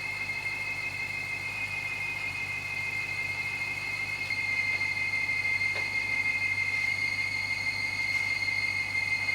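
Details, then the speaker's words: BMW 550i with N62 V8 at idle, belt refitted after the compressor was ruled out: constant high-pitched screech over the idle. Stethoscope places it at the block. "so well you just saw me using my stethoscope right there on the engine and unfortunately it seems like that noise is coming from the block and that's kind of got me concerned"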